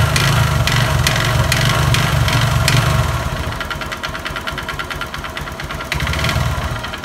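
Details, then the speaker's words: Honda Verza single-cylinder with loud noise and thick white smoke: rough rattling knock following the throttle; suspected scored piston or connecting rod, likely piston, later confirmed scored piston. "demikian untuk suaranya untuk motor Honda Verza ini kemungkinan piston kena ataupun stang piston ini kedua kemungkinan ya karena ada suara kletek-kletek dan suara kemruyuk tapi cuma sedikit"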